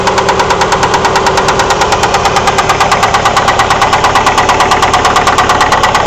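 Sharp, even knocking at about three a second rides over the idle and stands out clearly above the engine; the source is not yet known. Cause suspected, not confirmed.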